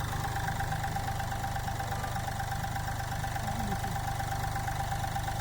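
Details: Mahindra Bolero Power Plus diesel, brought in for low pickup, body vibration and missing after engine work: idling with steady, even low thrum and faint constant whine, all cylinders firing.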